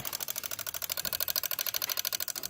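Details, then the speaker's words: 1998 Lexus ES300 relay box: sharp, even clicking at about 13–14 per second, a relay chattering on and off. Swapping the relay did not stop it and the relay box ground was good; cause not found. "This Lexus 1998 ES300, the relay's making a clicking noise. So the clicking noise seems like it's coming from this fuse, this relay, and this one."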